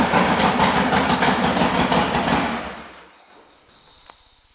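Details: Harley-Davidson Sportster during a charging-system check (battery 12.99 V before start): a lumpy, even V-twin beat running strong for a couple of seconds, then winding down to quiet. Healthy running, with no odd noises.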